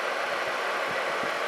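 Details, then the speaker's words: Atwood 7912-II 12,000 BTU 12 V RV propane heater after solder repair of circuit board; blower running on after shutdown, owner thinks IC timer cycles it off: even airy whoosh, no scraping, normal. "and in a minute this thing will cycle off i think it's got a little ic timer in there"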